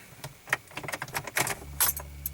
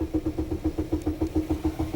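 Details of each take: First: 2002 Pontiac Grand Am with crank-no-start and security light on, after key relearn procedure: keys jingle, chime, starter catches and engine fires and settles; normal start, likely only a temporary fix. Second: 2002 Pontiac Grand AM all of a sudden won't start, just cranks. The Security Light is ON.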